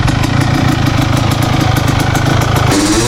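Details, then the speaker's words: Honda CR250R two-stroke dirt bike bought without hearing it run, first start after fixing a badly adjusted throttle: crisp, even popping at a steady idle with a small rev lift, running clean and healthy. "First start, baby. Boy, we may have got a deal of a lifetime here."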